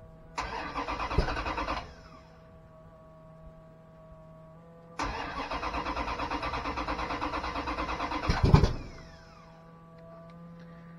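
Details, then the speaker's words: 408 stroker drag truck engine after oil pan removal and oil pump diagnosis: two starter bursts with an even chug of roughly seven pulses a second, turning over lazily without catching; cranking sounds slow, cause unconfirmed. "a little slow to me and tighten it up a little probably cut that pump off too for a minute here"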